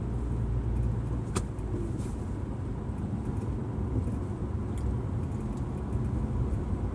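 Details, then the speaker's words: Subaru Outback after replacing both front wheel bearings, with new struts: coasting at 50 mph in neutral with the engine idling gives low soft road rumble and no droning hum; the driver's-side bearing was the bad one. "this is just a short run down the road to listen to the difference the two wheel bearings make the car is so much quieter and smoother 50 miles an hour here across the hill I'm going to go to neutral and let the engine idle"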